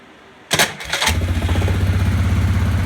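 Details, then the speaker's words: 2001 Yamaha Grizzly 600 ATV electric start: two heavy clunks as the starter engages, then it catches and idles steadily; clunk persists after replacing the starter with a new eBay unit, owner suspects Bendix gear or flywheel. "makes that loud clunking sound let's try again and so it makes that loud clunking sound obviously not a fan of that not really sure why it's doing that"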